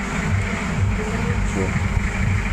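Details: Suzuki Multicab DE64 muffler with small holes and no exhaust gasket: loud, blatting, coarse boat-like low rumble at idle; exhaust leak.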